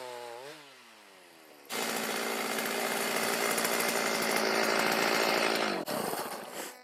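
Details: Stihl MS310 chainsaw on a cold start after a no-start fix needing no parts and rakers lowered: a few quiet pulls, then catches and holds a strong even high-pitched roar while cutting cleanly; normal running.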